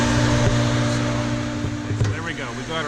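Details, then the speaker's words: Newly replaced Hayward 1.5 HP Superpump pool pump running after priming: smooth constant motor hum, low steady drone, water rushing, no grinding or squeal, flowing well and healthy. "got our pump replaced that's flowing real nice I can hear the water flowing out in the pool"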